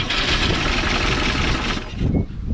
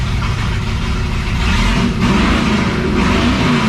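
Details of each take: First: 1957 Chevrolet Bel Air 327 V8 field find, running rough on poured fuel with the throttle worked by hand, gives a loud ragged mechanical clatter that fades; noisy engine, cause unconfirmed. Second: 1957 Chevrolet Bel Air field find, 327 V8 with TH400 and 10-bolt rear, newly fitted Flowmaster mufflers with tap-welded exhaust: V8 burbles at idle, revs and settles, deep, smooth and even with no rattles or leaks; normal healthy exhaust note.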